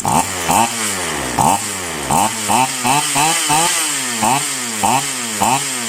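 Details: Polo PL-115i small two-stroke chainsaw with two-ring piston, after carburetor tuning: steady buzz with regular throttle blips rising and falling cleanly, no stumbling or bogging; normal running.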